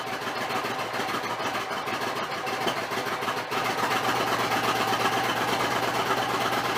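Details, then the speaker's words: Suzuki Intruder 1400 V-twin, cold, choke on: loping fast idle, a bit uneven but steady with no knocks. Normal cold-start idle on choke. "With no choke. I better turn the choke on. But I think we're good."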